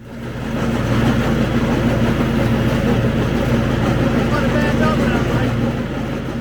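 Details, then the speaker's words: Craftsman ZTL8000 zero-turn mower (247.25061), 54-inch deck, blades engaged: steady engine drone with wobbling whump about three times a second as belt's bad spot passes pulleys, stops when blades disengage; worn deck belt before breaking. "most of the time it's not a steady noise when it's the belt and it's going to have a wobble to it like w w w w where the belt has a bad spot and it goes past all the pys each time it hits one it makes a noise"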